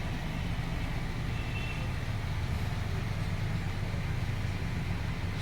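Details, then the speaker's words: Newly repaired TCL washing machine on a test spin, drum speeding up over the final minutes: a steady low rumble with no knocking or scraping, then a short end beep as the motor stops. Spin cycle works normally. "So yan mga kawiks, no, hanggang sa pabilis na ng pabilis yan."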